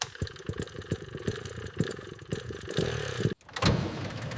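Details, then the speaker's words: Restored 50cc single-cylinder motorcycle with rebuilt engine (new piston) and fresh oil, cold first kick start: pops evenly, then picks up crisply on the throttle with no knocks or rattles, healthy. "There it is. The heartbeat returns. That sound is music to my ears. Throttle response is crisp."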